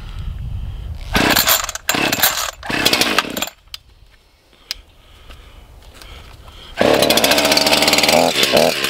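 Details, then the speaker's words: ECHO CS-501P chainsaw just after a tune-up kit install: fires in short revving bursts, drops away, then settles into a steady high buzzing run; starts and runs normally after the tune-up. "Now let's start it up. All right, now we're going to test it out, make sure it runs."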